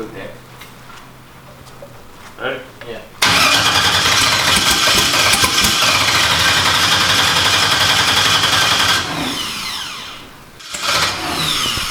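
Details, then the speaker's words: First start of a freshly built engine, no longer shooting fuel out the exhaust: several seconds of loud, fast, even cranking that tries without catching. No-start traced to MAP sensor ground and reference wires wired backwards. "i mean it wants to start it's trying it sounds better"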